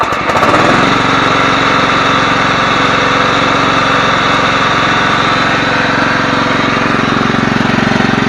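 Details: Yard-Man 15 hp riding mower with 42-inch deck, revived after sitting outdoors, freshly fueled: steady, even single-cylinder putter at constant speed with no misses or surges. Normal, healthy idle after repairs.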